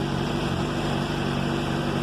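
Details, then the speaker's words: 2007 Honda CBR 600RR, warm at 91° after an oil change: even low-hum idle with no cam chain rattle or ticking. The earlier noise was diagnosed as the cam chain tensor, and the owner expects it may return. "só que nem eu troquei o óleo do motor está quente vocês vão ver que não tem o barulho entendeu"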